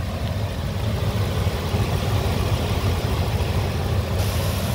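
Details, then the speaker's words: 2003 Ford E-350 Super Duty cargo van, 5.4-liter V8, 66,000 original miles, warm after running half an hour with the AC cold: a smooth, even low rumble with no knocks, ticks or misses. Normal idle. "it's got a 5.4 liter it's been running for half an hour the ac is cold the engine sounds good listen"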